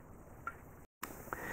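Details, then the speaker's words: BMW F2x/F3x Millway street camber plate monoball, pushed up and down by hand: two light metallic clinks showing play; worn monoball causing clunk reproduced on the car. "so if you can hear that clinking noise I'm just doing this just with my hands just pushing up and down on the ball in this model ball"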